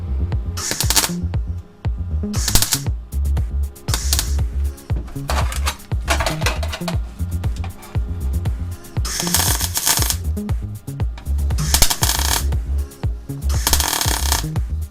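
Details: Sealey Supermig MIG welder, 0.6 wire, setting turned up from one to two, tacking: short sharp even frying crackle bursts, a second or two each, over music; steady healthy arc.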